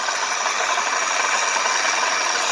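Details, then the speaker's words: Repossessed car, reportedly not running but starts; steady fast metallic rattle over the idling engine, owner first thought motor mount, now suspects a pulley or water pump going bad up front; engine rattle. "She does make a noise that doesn't sound too healthy on it, so it does have something that needs fixed. I think it's something like maybe a motor mount."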